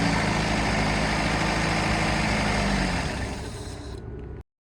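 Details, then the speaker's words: Lab vehicle with the mass airflow sensor unplugged, trying to run it by blowing into the sensor: engine runs rough and low, then sags and dies within seconds, won't hold idle. "so right now we've got the mass airflow sensor unplugged here I'm gonna try and get this vehicle to run just by blowing into the sensor and then I'll show you guys the PID data from that"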